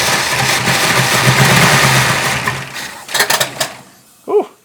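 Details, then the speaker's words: 1966 Ford Country Sedan FE big-block, first start after a bigger solid-lifter cam swap, ignition timing not yet set, compression 110–120 on two cylinders: the V8 lopes unevenly, stumbles and dies. It is running rough and very rich. "um, it didn't like that. It was running, but it didn't like it. It's also really rich."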